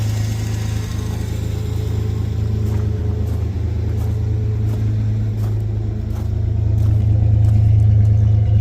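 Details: 1996 Chevy S10 4.3 V6 with Holley Sniper EFI and TSP distributor swap, third start since the swap. Low, even idle with no misses or ticks, rising slightly toward the end; smooth and healthy.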